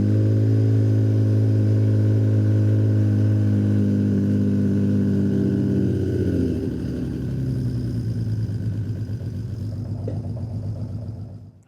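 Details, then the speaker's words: 1979 Honda CBX inline-six after rebuild, idling for a few minutes with intakes and exhaust fitted: slightly lumpy, uneven beat that sags and wavers; cylinder four not firing or weak, its exhaust pipe at 75 versus 130–150 on the others. "So, number four is not firing [music] or it's weak. So, I got to check that out."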